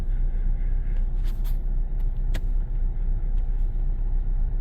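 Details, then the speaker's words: 2018 Chevy Silverado 5.3 V8 running terribly at idle: deep, uneven lumpy rumble about four beats per second with the whole truck shaking; a dead cylinder misfire, plus an unidentified noise underneath. "It's like, it's really bad. Okay. So we obviously have a dead miss somewhere."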